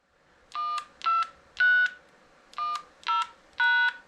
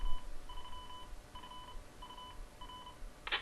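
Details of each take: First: Portable DMR/analog repeater with a GM300 radio and a ZR310 controller: six DTMF tone bursts log in, then a quick run of short even beeps while the carrier stays up, showing the code was accepted and setup mode entered. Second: Portable DMR/analog repeater built from Motorola GM300 radios with a ZR310 controller and duplexer, running in analog mode. After the courtesy tone, a short run of even two-tone beeps plays: the normal station ident.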